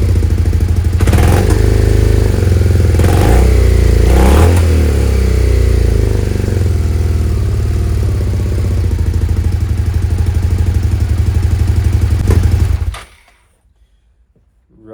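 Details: Suzuki SV650S V-twin, carbs freshly cleaned and refitted, idle readjusted, before carb sync: loud loping idle with uneven thumps, stumbling before shutting off; rough idle, throttle lags; owner suspects unsynced carbs and possible carb leaks.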